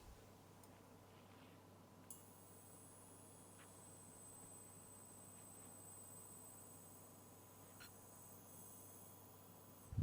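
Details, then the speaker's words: Westek 6043BC touch pad lamp dimmer with incandescent bulb at low brightness, steady thin electrical buzz with faint singing tones from the filament; sound changes on medium and disappears on high. "I know a lot of times with cheap rotary light dimmers, like in a wall, you'll get some kind of like a buzzing sound from the filament at the lower brightnesses, and this produces that as well."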